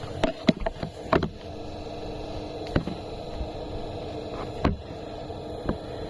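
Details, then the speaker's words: Eberspacher Airtronic diesel air heater, bought new and retrofitted, about two years old, phone on the floor: irregular sharp crackles and pops over a faint steady hum as it lights; the crackle persists at low power and its cause is unclear. "А вот этот вот треск он остаётся и он мешает спать"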